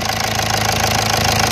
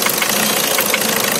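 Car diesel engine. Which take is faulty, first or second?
second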